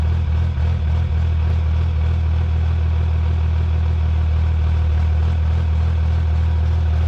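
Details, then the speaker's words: Cummins diesel drag truck back from the track, idling: deep rumble with a rough churning rattle, like marbles in the transmission; weak reverse. Owner suspects a destroyed sprag; fluid to be drained and transmission pulled. "It sounds like there's marbles in the transmission, which is exactly why we have our manual shifter."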